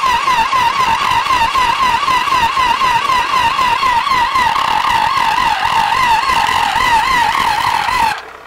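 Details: Tractor in frost, unstarted three to four days after head-gasket repair: the starter whines with a regular wobble and never catches. The owner suspects a dropped valve. It cranks faster with the choke fully closed.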